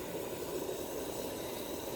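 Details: Constant even hiss with slight mid-pitched rush and no rhythm: pressurized water escaping from a leaking pipe under a care-home floor, possibly pinholed or at the back of a tee; source still being traced.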